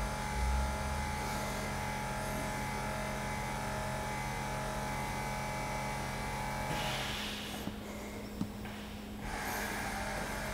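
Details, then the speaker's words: 2017 BMW 5 Series F11 after fitting a new air suspension compressor, raising the rear. A steady low electric hum at even pitch with no rattle or strain: normal compressor operation, and the car rises. Pressure should be at least 10 bar. "There it comes. And we've got a fix."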